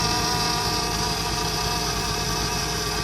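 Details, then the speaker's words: 2008 Mercedes C300 at idle, just after topping up power steering fluid (owner suspects a leak near the pump hose, steering had been stiff): steady piercing whine and chirp from the power steering. "You hear that whining noise? That's coming from power steering."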